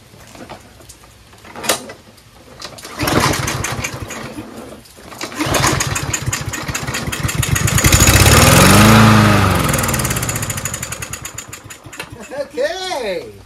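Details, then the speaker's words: Troy-Bilt TB110 push lawnmower that wouldn't start, choke closed, starting fluid sprayed into the intake: engine catches, revs briefly, then sags and dies, showing fuel starvation; owner concludes the carburetor just needs cleaning. "just means the carburetor needs cleaning that's all"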